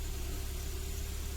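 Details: Kia Sportage G4KD engine running on gas (LPG), 150,000 km, first start after rebuild for scuffed cylinders with new pistons: smooth, low, even idle, no tapping or knocking; healthy.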